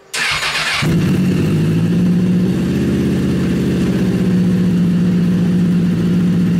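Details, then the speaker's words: Rebuilt Honda CBR 1000 buggy engine after cylinder damage cranks briefly, fires and settles into a smooth, steady idle with an even beat and no knocking; sounds healthier than its earlier rough, low idle; normal running. "ah it's running it's right it sounds healthy it sounds so much better so much better than it did last time"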